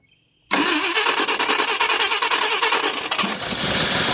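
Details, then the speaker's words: 1968 Ford LTD 390 FE two-barrel V8, off the road since 1999, cold start after about three years: cranks and catches at once with some throttle, then settles into a fairly even run; starts and runs fine. "Still runs pretty good though, sounds good."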